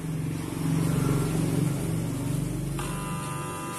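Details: National/Panasonic water pump motor, powered but not turning. A loud, steady low hum with no spin-up; this is said to be common because the shaft is small for the large rotor and high rpm; exact cause not yet confirmed.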